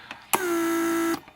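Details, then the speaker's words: Mercedes S320 repaired PSE pump, trunk handle circuit: pump creates vacuum to retract handle after lid closes; clean steady buzz under a second sagging slightly as vacuum builds, sharp stop; working properly. "once trunk lid is closed it creates vacuum for handle to retract itself one more time"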